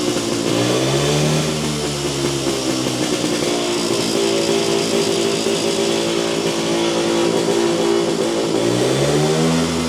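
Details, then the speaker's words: Jawa 250 two-stroke motorcycle after engine teardown for heavy smoking; revs up and down with a busy, slightly ragged note and hesitant pickup on throttle; uneven running, owner suspects carburetor out of adjustment. "Usampikin kommentoi, että ei kuulosta olevan säädössä ja itsekin oon kyllä samaa mieltä, että se vähän oli semmonen se kaassuk painot ja tolla, niin se ei lähtenyt sille niinun saman tien vaan se vähän niinku epäröi aina pieni öö tuollakin ajelet,"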